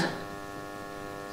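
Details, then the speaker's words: House hot-water circulation pump buzzing with steady electrical hum and no flow sound while inactive, housing hot (about 50 degrees vs pipe 36); cause unknown. "Słuchajcie ta pompka buczy słychać pewnie nie nic nie pracuje a pompka buczy zobaczcie"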